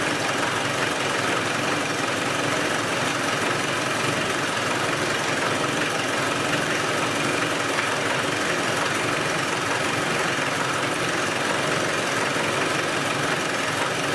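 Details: Land Rover 110 diesel idling with the valve covers off: even idle with crisp, exposed valvetrain clatter on top and no stumble or dropped beats; oil is reaching the top end and compression appears fine, so the engine sounds healthy.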